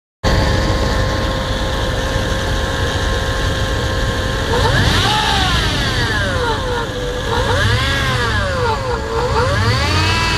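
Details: Jeep Grand Cherokee ZJ 5.2 V8 idling with a steady whine that climbs and falls with each rev; unidentified noise, cause unknown.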